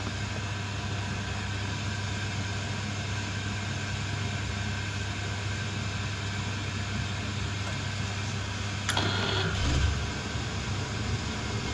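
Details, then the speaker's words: Oil boiler being bled, with air in the oil line causing lockouts. The burner finally lights and holds a steady low hum and even roar without faltering; it is left running a few minutes to confirm. "that's actually lit this time that might go block out so we'll leave that one in a few minutes just make sure it's okay you can normally hear if it's if it's running okay"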